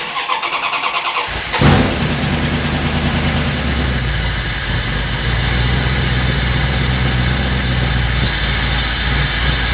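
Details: 1984 Dodge D150 with a 360 small block, after repair of banging noises, on the lift with wheels off the ground in the rain; engine catches after a short crank and settles into a steady, even idle with no knocks or clunks; normal idle.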